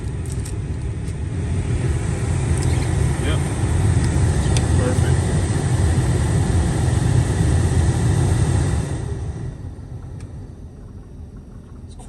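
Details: Chevy Suburban blower motor just replaced after the old one ran noisy and at half speed. On high it gives a steady, even rush of air, quiet, with no whine, rattle or ticking.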